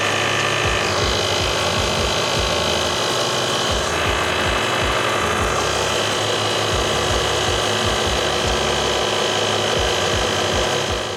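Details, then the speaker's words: 2012 Mercedes-Benz GL350 Bluetec (X164) Airmatic air suspension, after replacing the failed, leaking compressor with a new Arnott unit: compressor clicks on and runs with a steady buzz and even chatter, about three beats a second, pumping up normally. "Okay. Compressor clicked. I can hear it."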